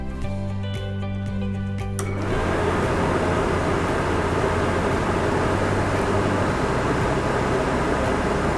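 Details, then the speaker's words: RV Suburban furnace after blower motor replacement, bench-tested with 12 volts jumped to the thermostat and no gas: blower spins up after a couple of seconds to a smooth, steady whoosh, no rubbing or squeal; board tries to ignite, motor normal. "So, as soon as we join this give it a second and it'll try to kick on."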